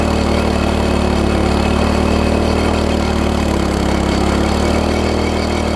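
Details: MTD front-tine tiller engine holds a steady fast high-pitched drone, throttle seemingly locked in the fast position and spring loosened; binding throttle mechanism, linkage hooked to the carb wrongly, fixed by reconnecting and adjusting throttle.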